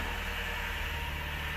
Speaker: oh it sounds so smooth oh my goodness no more clattering I don't even recognize it totally different car